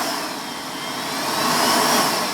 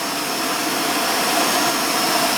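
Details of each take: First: Vorwerk VK-140 Folletto vacuum cleaner, previously repaired, run through its speeds: steady high motor roar sags then climbs back over a couple of seconds. Speed surging blamed on a failed control-board capacitor powering the microcontroller supply. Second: Vorwerk VK-140 Folletto vacuum after replacing a swollen control board capacitor that made speed drop: steady high whoosh at fixed even motor pitch through speeds one to three, then smooth spin-down; repair worked.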